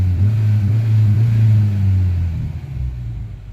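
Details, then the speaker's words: Mk1 Renault Clio RN 1.2 D7F petrol, mild 10-12 °C evening, suspected idle control valve problem: deep steady engine hum holds even, then settles lower without stumbling or hunting; idling normally at the moment. "So it sounds fantastic. It's actually running. It's running okay."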